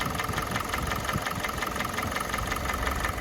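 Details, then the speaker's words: Kia Sportage 4G 2017, G4NA engine, 265,500 km, warm idle at nearly operating temperature: a steady light tapping of about three a second that persists once warm, louder when revved, gone in second gear. Cause unknown; owner reluctant to do an overhaul. "Ну вот сейчас двигатель вышел уже на рабочую температуру практически, антифриз поднялся на все уровень. Вот такая вот работа."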